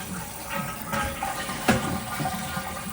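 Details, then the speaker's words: Toilet flush and refill after fill valve replacement and float adjustment: steady rush of flushing water, then an even refill hiss with no squeal or hammering; bowl water level now higher and tank fills much quicker than before. "I like it being higher than what it was, and this toilet definitely is filling up way quicker."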